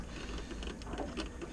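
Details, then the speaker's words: Sun Sun 304B canister filter just plugged in while refilling after a water change; fast, uneven impeller rattle because water hasn't yet reached the pump in the lid housing. "so you can hear the impeller rattling around it doesn't have enough water in it to actually get to where the pump is which is in the lid or the housing"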